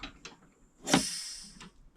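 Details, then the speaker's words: Newly fitted air cylinder on cable-operated brakes of a 7 1/4-inch gauge driving carriage releasing; sharp rush of escaping air fading over about a second as the cylinder vents and the wagon rolls again, brakes working as they should. "Hear the air release, moves again. So we've got working brakes now."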